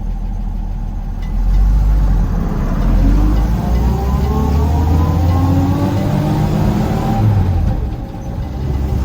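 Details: Original, untouched 1972 Toyota Land Cruiser FJ40 while cruising: a thin whine climbing in pitch with road speed over the engine drone, from the old three-speed gearbox.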